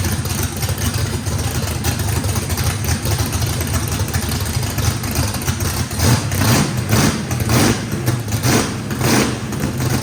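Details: Brand-new drag-race motor with a radical camshaft, first fire-up, loud choppy uneven idle with rhythmic lope and low rumble, no blow-by. Big overlap and lobe separation needed lots of throttle, blade about six percent open; normal lopey idle.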